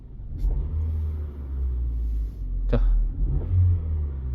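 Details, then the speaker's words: 2009 LPG car, 163,000 km, after replacing worn engine mounts that had shaken the dash, wheel and seats: low, even idle rumble with steady beat, no shaking or knocking; vibration gone. "자, 일단은 자, 마운트를 바꿨으니까 일단 소리가 안 나겠죠."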